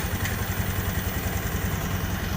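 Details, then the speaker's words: Honda Beat ESP scooter after repair, now starting without jumper wires, previously stuttering with dead speedometer and ECU fault: steady, even low putter with no misses or knocks; normal idle. "sekarang motor2 normal"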